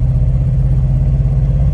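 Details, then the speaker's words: 2001 Toyota Sequoia, about 250,000 miles, at half throttle: deep drone with uneven chugging pulse, cylinder one misfiring; also misfires at idle, coil pack replacement as fix. "definitely a misfire here it's chugging along it's cylinder number one is not working so so that's what it sounds like"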